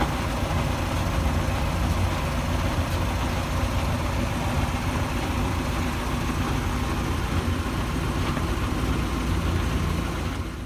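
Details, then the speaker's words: Land Rover Series 3 with rear wheels engaged, after brake adjustment, driving: steady deep rumble under the engine note, not grinding, seemingly from the gearbox, amid a drivetrain vibration not yet diagnosed. "so this is with the rear wheels engaged and you can hear like a rumbling not grinding but sort of rumbling from the gear then if you can hear that"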